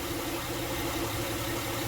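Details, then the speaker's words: 2006 Honda Pilot, warmed up, idling in Drive with the parking brake on under load after the serpentine drive belt auto-tensioner was replaced: an even low hum and drone, and the earlier ticking is gone. "no sound no ticking sound so this has been successful"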